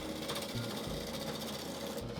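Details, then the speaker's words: Wood lathe turning a resin-stabilized, out-of-round bowl blank: fast, even chatter over the lathe hum as the gouge bounces off high spots, skipping lessening as the blank becomes more circular. "And as I get closer to them, you can notice the amount of skipping becomes less and less and even less."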